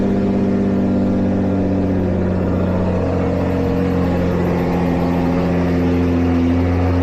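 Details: Nissan GT-R R35 VR38DETT V6 after valve cover gasket replacement, broken bolt extraction and oil/filter change; steady smooth idle, even low hum, faint whir, no ticks or knocks; no oil leaks after running; normal idle.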